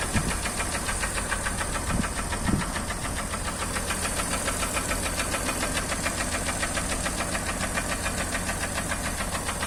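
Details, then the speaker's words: Acura MDX engine: a fast, steady, evenly spaced knock running through the engine drone with no let-up; a clear internal engine knock. "Вот так, собственно, стучит."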